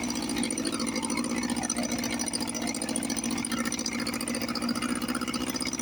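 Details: 1954 Johnson 5.5 HP outboard restarted on a heavy oil mix and smoking, after carburetor rebuild; head not too hot. Steady, even two-stroke burble with a quick, regular beat and no knocks or misses. Normal running.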